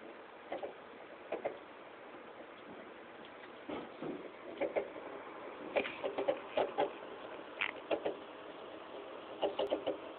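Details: Nearly new 160GB PS3 Slim, under two weeks old, mid-game with Modern Warfare 3 disc: faint irregular clicking clusters over a quiet hum, silent when the disc is ejected; owner suspects the Blu-ray drive or disc.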